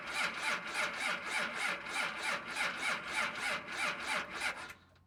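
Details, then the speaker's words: 2nd Gen Cummins diesel at -9°F in the dark, unstarted for a few days; slow even starter cranking about three compression pulses a second, steady in bitter cold, stopping before it catches. "Alright boys and girls, it is -9 Fahrenheit. I don't know if you can see, it's pretty dark right now. So let's see if it starts."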